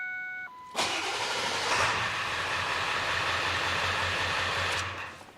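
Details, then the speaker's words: Ford 7.3 Powerstroke diesel truck after replacing the battery cables; warning beeps, then the starter spins it over fast and it catches cleanly, starting better than ever. Normal fast cranking. "that sounded good it was spinning over fast"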